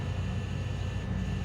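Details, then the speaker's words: Walk-in freezer after power came back on, during an impromptu decay test: steady low droning hum with a faint, consistent pulse in and out; technician has never heard it pulse like this, possibly a rattle, source unclear. "obviously it it could be like a a rattle but that's kind of a weird consistent pulse in and out"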